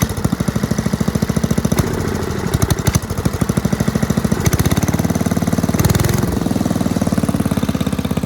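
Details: 1984 MTD Air Sweeper (model 245-692-000), 36 years old, flathead Briggs & Stratton 5 hp (engine model 130212-1731-01): crisp, even single-cylinder putter with steady firing rhythm, no misses or knocks; runs healthy.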